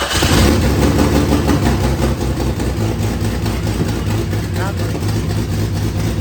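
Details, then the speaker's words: 1998 Jeep Cherokee XJ first start after rebuild for blown piston skirt: loud raspy idle with sharp puffing about three per second because exhaust not connected, O2 sensor also not connected; earlier knocking gone. "Sounds like an exhaust leak. What? Exhaust leak, for sure. Oh, the exhaust is not hooked up."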